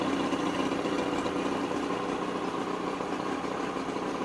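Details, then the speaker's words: 1976 Mercury 115 HP straight-six outboard on 1985 Checkmate speedboat after stator change, carb rebuild and wiring repair, started on choke with slight throttle: settles into even, steady buzzing idle, no stumbling or knocking; running right. "Give her just a little bit of throttle. Choke. I'm so excited. I just can't hide it. This is working."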